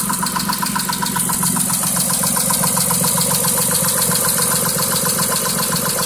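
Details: 2006 Mitsubishi Eclipse at idle, the day after an oil change with Royal Purple 5W-20 plus new cam and oxygen sensors: regular light knock about four per second, new since then; cylinder 5 misfire code now set, cause unknown.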